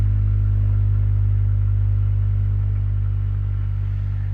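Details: Boiler humming (гудит котел), recorded as the damper (шибер) is closed; deep steady low drone with no high content that carries on unchanged after the damper shuts, cause unknown.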